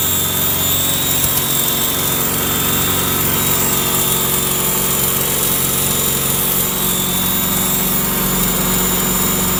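A steady, loud engine drone with a fast rattle and a high whirring on top; something is off, but the source is unclear.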